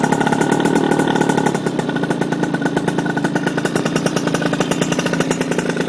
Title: RS 80cc exhaust leak